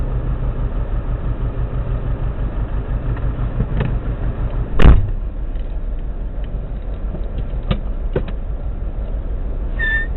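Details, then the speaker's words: Subaru WRX EJ205 warmed up at idle: steady low rumble with uneven lumpy stumble, cylinder 3 misfire, engine shakes, no tick; spark plug ruled out, cracked valve suspected; faint AC compressor squeak. "Doesn't tick or anything, just that's misfiring. When I first got it, it was misfiring on cylinder 3."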